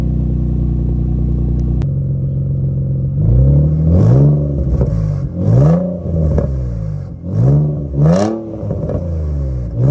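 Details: Nissan G35 drift car after sitting all winter, warmed up: steady idle then quick blips with loose raspy clatter on each rev; aftermarket exhaust, likely an eBay unit of unknown brand, is leaking.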